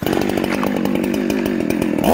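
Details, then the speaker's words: Ported, loud chainsaw revving unloaded and four-stroking (burbling) from a rich high-speed jet mixture. It cleans up under load in wood, then four-strokes again when lifted out, as a correct carb tune should. "now you guys hear that four-stroke four-stroke four-stroke you actually get it some load on it it cleans up and pulls hard the minute i pull it up it starts four stroking again"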